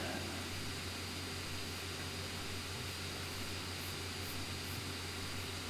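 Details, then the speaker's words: Lenovo C940 laptop gaming with settings and resolution lowered: constant airy rush with a steady low hum; fans pinned at maximum, CPU package temperature calmed to around the 90s. "see the CPU is running a little higher, and with the fans now completely at maximum, the package has kind of calmed down a little bit to be around the 90s."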